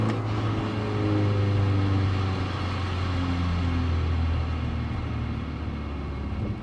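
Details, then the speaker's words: Porsche 944, over 40 years old, sound from rear of car: excessive grindy, scraping transaxle noise under a deep cabin drone, very prevalent when lifting off the throttle after a light rev. "and needless to say that noise should not be there that's that is excessive noise coming out of the transaxle I would describe that noise is grindy or or like a scraping sound it becomes very very prevalent uh when you lift off on the throttle"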